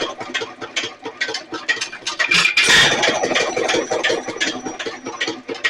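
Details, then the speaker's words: Nelson Little Jumbo 1 1/2 HP hit-and-miss engine after governor repair; sharp firing beats in uneven clusters with coasting gaps, about two to three a second; finding: normal hit-and-miss running. "Every time it slows down, this goes in and holds that valve open. It goes back and takes off."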